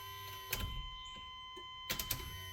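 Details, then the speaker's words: New in-tank fuel pump assembly for a 1994 Chevy pickup, laid out and plugged into the stock connector with a temporary ground, key on: faint steady high-pitched whine with a couple of light clicks; pump runs normally, confirming the old 28-year-old pump had failed. "so what's playing is I'm gonna go in there and hit key and listen for the wine of the fuel pump so let's hit the key and see if we can hear anything"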